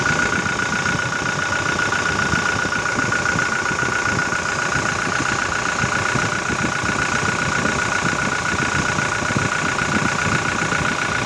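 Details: 2018 Toyota Innova common-rail diesel with VNT turbo at idle, oil cap off: steady even clatter with no misses or surges; oil reaching the top well and no abnormal smoke, engine normal.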